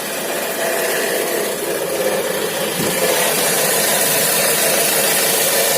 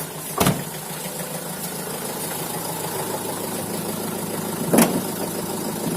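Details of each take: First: Opel Vivaro / Renault Trafic 1.9 diesel idling after belt refitted: dry, irregular crackle from the right side over the engine note, traced to a worn alternator rear bearing, not the injector or power steering. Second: Opel Vivaro / Renault Trafic 1.9 diesel after alternator repair; crackle on the right side came from a failed rear alternator bearing: idle now a steady, even clatter with no crackle or rasp; normal idle.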